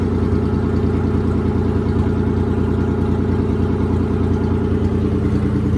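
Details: 1993 Nissan 300ZX running after transmission removal; it would not crank until the faulty neutral position safety sensor was dealt with. Steady, even idle with a smooth regular pulse, no misses or knocks. Normal idle.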